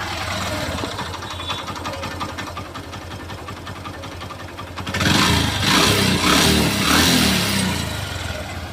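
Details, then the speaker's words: Hero Passion XPro single-cylinder bike idling in neutral, recorded by a helmet action camera: fast, regular metallic clatter from the piston and a loose timing chain; the bike also has white smoke and a pickup problem. "तो यहां पर दोस्तों piston की आवाज़ timing change की आवाज़ भी है इसके अंदर"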